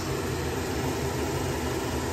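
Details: 1980 Toyota RN30 Hilux 4x4 with a Holden 186 engine, electric cooling fan switched on from the rear: a steady, even rushing whoosh with no ticking, rubbing or wobble. The fan is running normally.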